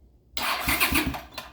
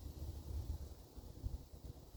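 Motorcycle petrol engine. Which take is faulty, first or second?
second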